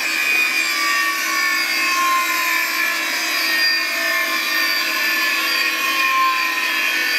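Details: Classic Digital (DEC) hard drive running in a special holder: steady high-pitched whine with a dry scratchy rubbing hiss, no low hum; sounds abnormal, owner considers cleaning it, cause unclear.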